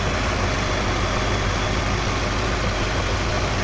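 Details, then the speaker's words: GM LS4 V8 after replacing the squeaking serpentine belt with a Dayco 6PK2900: steady even idle with a smooth low rumble and no squeak or chirp, no belt wobble; normal idle. "Sounds good so far. And there it is. Absolutely no noise coming from this belt, which is good."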